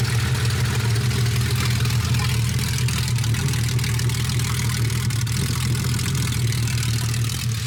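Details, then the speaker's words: Porsche 964 engine, first start after project work, true dual exhaust with no mufflers: loud, lumpy open-exhaust idle, deep steady thrum with slight cam lope; no misfire, normal idle. "that is loud that super loud obviously you still don't have a muff on it"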